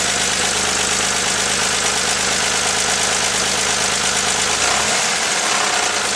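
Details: 1983 Porsche 911 SC, stock 3.0 air-cooled flat-six at idle: loose, uneven deep knock about once a second over the clatter; owner fears rod knock, cause unconfirmed.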